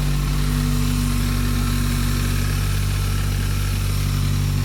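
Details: Turbo engine idling after fixing loose Perrin sump restrictor, PCV and coolant hoses and cleaning MAF sensor while diagnosing a misfire: smooth, even idle with steady low hum, no stumbles — normal idle.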